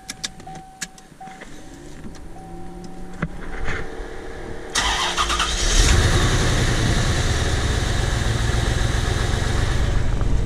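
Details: 1993 C4 Corvette V8 with brand-new rebuilt engine, misfire since first run: cranks, fires and settles into uneven lumpy idle with rattling shake rocking the car; rpm steady but running unclean, backfires while driving; basics overlooked.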